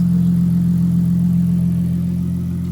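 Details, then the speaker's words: Toyota Chaser JZX100 2JZ just started, before warm-up and dyno tuning: smooth, steady low hum with even pitch and no knocks, ticks or misses; a quiet, normal idle. "Nice. No, it is. It's quiet."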